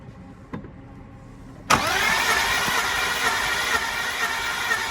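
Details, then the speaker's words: BMW E46 with M52 engine, towed in after cutting out and not starting: compression test while cranking with battery charger on, starter spins evenly but engine never catches; massive low compression on three cylinders, one cylinder dumping fuel. "We've got a massive compression problem on three cylinders."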